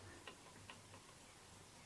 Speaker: and if you can rock, you'll hear a clicking noise, and it means the middle fret is higher than the other two to allow there to be pivoting action.